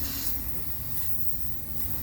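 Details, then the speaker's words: Toshiba Carrier VRF air-conditioning coil under pressure during leak checking: a steady, airy hiss rides over a low background rumble without pulsing; pressurised gas is escaping from a coil leak. "Hear that? Can you hear that, Carrier folks? A fucking leak!"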